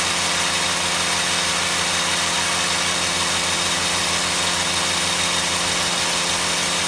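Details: Shindaiwa HT2510-40 hedge trimmer, C4 four-stroke hybrid engine, after clutch and cam replacement, timing and valve clearance adjustment: held at high revs, peaking around 8,800 rpm on the tachometer, with a steady, even buzz and no misses or surging. Normal running at high speed.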